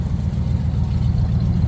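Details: Restored Pontiac V8, first run out of the shop in 50 years, no compression test done yet: low, even burble with steady pulse, no ticking, knocks or misses, exhaust balanced; normal idle.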